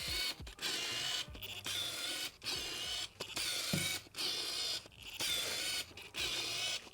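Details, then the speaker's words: Canon RF 75-300mm f/4-5.6 lens autofocus motor, mic moved close: buzzy whirring bursts about once a second as focus drives back and forth; extremely loud, slow focus motor, normal for this lens, not a fault. "I also just want to show you how loud the autofocus motor is real quick, because it's like actually crazy how loud it is."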